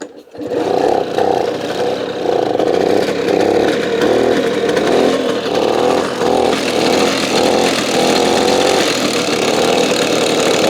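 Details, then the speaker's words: Simson SR2 two-stroke moped from the DDR, first start, loose condenser connector: crisp buzz with even firing through light throttle blips; sounded nice and beefy, running clean. "this just started and it actually sounded pretty pretty nice and beefy"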